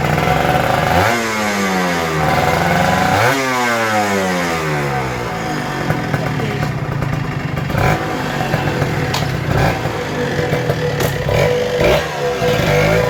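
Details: Kawasaki Ninja RR 150 two-stroke after service fixing heavy pull, stuttering and sticking throttle/super KIPS: revs up and down twice, picking up crisply and settling evenly with no bogging. Normal revving.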